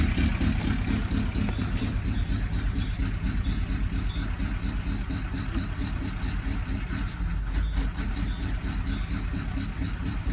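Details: Ford Galaxy engine idling with a steady, rough knocking repeating about twice a second; engine knocking at idle.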